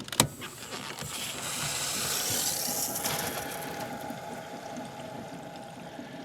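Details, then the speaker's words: Shallow well pump with pressure tank feeding outside faucets from lake or hand-dug well, being primed in spring: hissing rush swells then eases as tank pressure charges the line to the lake; pump not drawing down enough to start. Normal line charging. "Now that noise that you heard just there was water pressure from the tank charging the line out to the lake."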